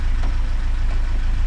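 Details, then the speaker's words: 50-year-old Lada after choke cable fix: steady low exhaust beat just under 1000 rpm, stable, no misses; clean idle. "Pretty perfect. Quite stable, not missing. You can hear the exhaust is stable. Yeah, sounds good."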